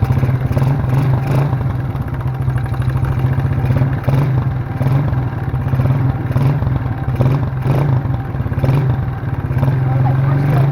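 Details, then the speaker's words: Small free ATV, 72cc single, choke on: it thumps along unevenly with a rattly, wavering beat. Owner suspects it is not fully warmed up, with oil in the cylinder; it is smoking. "ah come on you got to keep it from stalling well it runs I don't know it's not running super good"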